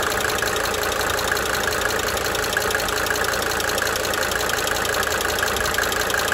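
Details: 1992 Mercedes-Benz 300D 2.5 turbo diesel idling for several minutes, brief talking at start; light, cyclic ticking fading in and out over the steady idle clatter: injector ticking at idle.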